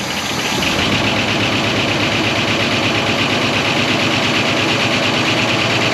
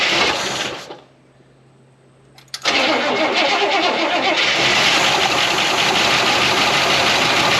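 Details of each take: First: 1969 Buick Wildcat V8, barn-stored 26 years since 1998, at idle after revival: a fast, uneven tapping of about three per second rides over the idle, but it is a loose fender rattling and mimicking knock, not a bottom-end knock. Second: 1969 Buick Wildcat, parked in a barn lean-to since 1998 (26 years), first cold start after fuel was pumped to the carburetor: cranks, catches, and settles into a steady idle with a light, quick lifter tick; engine knock-free, lifters noisy from sitting.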